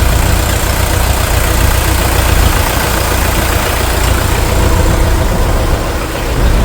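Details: International TD-6 crawler, revived after 11 years sitting rusted stuck, running on diesel after gas start, following the #4 cylinder misfire fix. Deep, steady rumble with an even beat, no misses or knocks: smooth, healthy idle.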